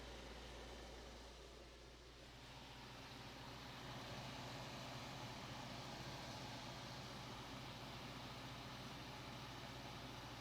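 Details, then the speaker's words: 1990s Capehart 40-pint dehumidifier after Nu-Brite coil cleaning, compressor starting cold, taking a minute to reach full pressure: quiet low hum swells after a few seconds then settles into an even steady drone; normal compressor start-up. "gonna take a minute to gain full pressure cold"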